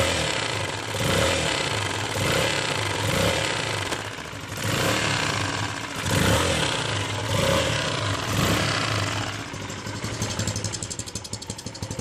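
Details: CRZ 150 SM single-cylinder, 550 km, noise present since new: blipped revs with loose, irregular tapping underneath; cause was a missing spring retaining the camshaft gear shaft.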